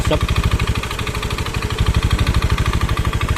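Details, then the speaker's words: Honda Beat FI scooter, rough noise, smoky and using up its oil every 3 days: harsh, uneven clattering tick through idle; strip-down found a shattered piston and a scored cylinder block causing the noise and smoke. "untuk potensi asapnya itu dan untuk potensi bunyinya terjawab juga di sehernya yang jebol"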